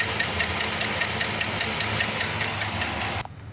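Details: GMC Sierra with a 5.3 engine that started making noise this morning, Sea Foam to be added to the oil: a quick, fairly even tick of two or three a second over the idle hiss. Possible top-end lifter noise.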